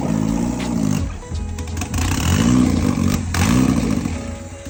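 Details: 1991 Japanese-import Mazda MX5 1.6 four-cylinder, engine rebuilt after nearly 3 years off the road, restarted after wiring fixes: it fires up and revs in repeated clean blips without misses. Normal running.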